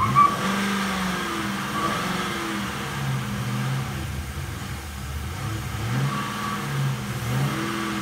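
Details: Engine started after a few days at -23°C (-32°C with wind chill) holding a raised, wavering idle that rises and falls on its own with no throttle input; high idle after cold start.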